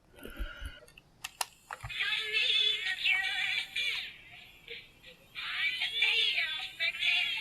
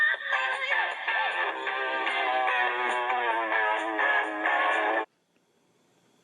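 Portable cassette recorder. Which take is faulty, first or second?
first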